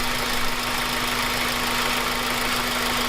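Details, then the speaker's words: Honda Civic Type R EP3 after replacing the water pump and idler pulley and bleeding the coolant: smooth, even idle with a steady hum and no whine, squeal or rattle; the former noise was the old pump's bearing, now gone. "Sounds really good, driving it sounds nice, everything is perfect on that."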